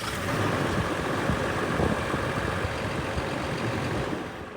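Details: CAT 324 long-reach excavator diesel briefly fired up right after an annual oil change to fill the oil filter: steady, even idle rumble with no knocks, rattles or hunting; normal idle.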